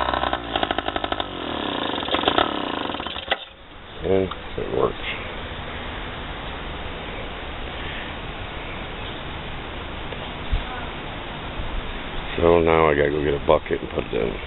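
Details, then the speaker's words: 3 hp two-stroke air-cooled sailboat outboard after carb repair (plugged fuel filter, missing float piece pop-riveted), started on choke: crackles to life, settles into rapid buzzy run with throttle blips; running properly. "Alright guys, there it is, it's running."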